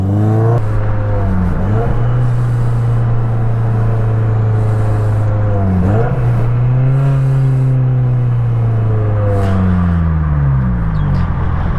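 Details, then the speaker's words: Cheap Miata with a cam and LSD, driven: deep, loud booming exhaust swelling and dropping with revs, a heavy drone; not straight-piped as assumed, the oversized rear tip versus the exhaust pipe is suspected, unconfirmed. "and to be honest this exhaust sounds like garbage um I'm not proud of driving this thing with its current exhaust setup"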